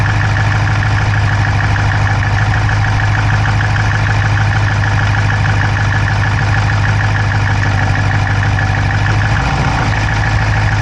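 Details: Dodge Charger Hemi V8 at steady idle, recorded inside the driver's-side engine bay: a quick, light, uneven ticking of about three clicks a second. No exhaust smoke, so the owner doubts a dropped valve; source unclear.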